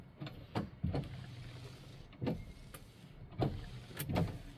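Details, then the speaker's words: 1970 Dodge Challenger 383 automatic after adding a ground wire to the wiper switch, which had lost ground because its metal plate was mounted to the plastic dash. Soft motor hum with an even thump at each sweep end; wipers work normally. "That's why it wasn't having a ground. So we ran a ground wire. Let's see if these things work like they're supposed to."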